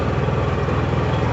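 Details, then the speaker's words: Honda EU6500 inverter generator after cleaning the carburetor and draining gas over a year old, pull-started with a dead battery: smooth, even, very quiet low hum with a steady fast beat, no misses, surging or knocks; healthy. "just listen how quiet that is like you can barely hear it it's quieter than my ultrasonic cleaner"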